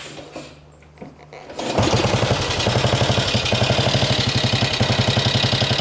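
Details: Norton 16H 500 side-valve classic motorcycle, kick-started with clutch pulled in and no choke needed. After a few quiet kicks it fires and settles into an even, steady thump of about four beats a second. Normal start-up and running.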